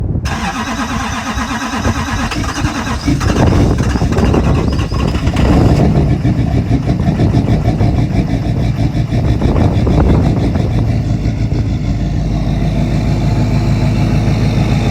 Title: Cold start Lml duramax with blown head gasket. She’s gone for repair